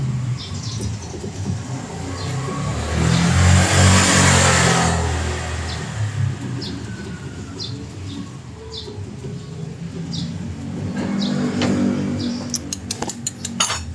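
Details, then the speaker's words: Mitsubishi Xpander front suspension rocked by hand: dull repeated knocks, loud on the right side, from a worn, loose sway bar bushing; stabilizer link fine, shock absorber probably replaced mistakenly. "Meron siyang uga e. Pakinggan niyo mga boss. Malakas yung lagutok dito sa kanan eh."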